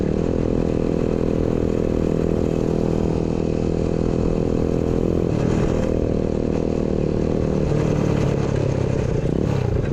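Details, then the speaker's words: New 125cc four-speed kick-start engine in a custom Pagsta chopper build, fitted with a newly made exhaust, ridden after installation: crisp, even four-stroke bark climbing cleanly through revs and gear changes, no misfire or rattle; sounds awesome, healthy running. "yeah it sounds awesome way better sounds good guys it's got a nice little St to it yeah I'm happy with that way better"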